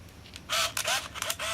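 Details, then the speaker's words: Olympus Infinity Stylus Epic 35mm point-and-shoot, frames about 11–17 of a scrap roll: several quick, crisp, even whirring bursts from the winder motor; the film is advancing normally, frame by frame. "We're just basically wasting the rest of the frames on this old roll of scrap film. Verifying that the film transport's working."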